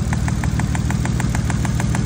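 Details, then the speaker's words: Nissan R33 Skyline started cold after sitting two days: a sharp, regular tick about seven times a second over the idle. Cause: a coil pack not seated on its spark plug after the coil bracket was refitted. "Okay, we figured it out. Basically, arm up it. I'm trying to cut corners by taking a whole lot of coil packs out in one, by taking out the whole bracket. When I put it back in, this one wasn't sat properly, so it was like connected to the spark pl"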